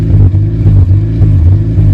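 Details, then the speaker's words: Honda CRX after correcting spark plug wires that had been plugged in the wrong firing order; deep, strong exhaust note pulses steadily while revved, no misfire or popping: normal revving. "Let's see if the correct firing order is right. Like a champ."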